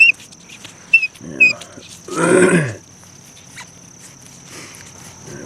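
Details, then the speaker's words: 1997 Mercury Mystique / Ford Contour 2.0L, right rear sway bar link removed and worked by hand: short high squeaks and a groaning creak from the worn link; fixed by replacing the link. "then this part screws off man squeaky noise because of the pieces just she's a mess name you hear that squeaky noise"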